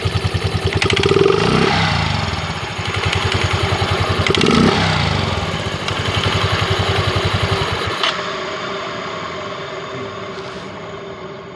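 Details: Yamaha Mio M3 scooter: engine runs with a rough, low growling hum that rises with two throttle blips; growl suspected from the final drive bearings, checked with the CVT cover opened.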